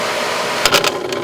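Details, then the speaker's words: Aqua-Flo XP2E two-speed pump motor on a Dynasty hot tub, heard with side panel on: steady whir breaks into quick rattling clatter when dropping from high to low speed; bearing spinning in the housing, usually the front cover. "speed. That noise right there. High speed, low speed. That is the bearing spinning in the housing."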